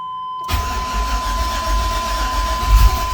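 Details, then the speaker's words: LS-swapped car, cold start attempt in a garage at about −5°C: starter churns steadily for a few seconds without catching; extended cranking, no start, owner suspects it is too cold. "oh I don't think it's gonna want to start might be too cold for it we'll see"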